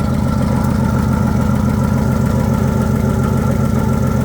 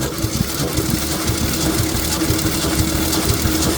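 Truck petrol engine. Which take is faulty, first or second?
first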